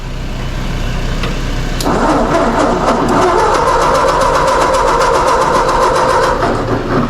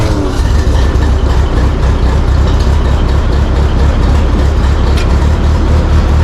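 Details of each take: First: Mazda 3 or Nissan car on a very cold day, steady rhythmic starter cranking at about three to four beats a second that never catches; the engine won't fire. Owner suspects it may be flooded. Crank, no start. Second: Ford 8N tractor on a very cold day, after carburetor adjustment, choke still on: deep, steady low-pitched chugging with an even beat and no misses or knocks; engine warming up and running on its own.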